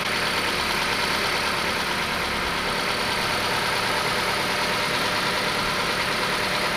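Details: Steady, even petrol idle with no knock from a Ford Escort with variable cam timing that sat over two years; a knock after sitting went away once oil pressure built up, with a fresh battery and old fuel.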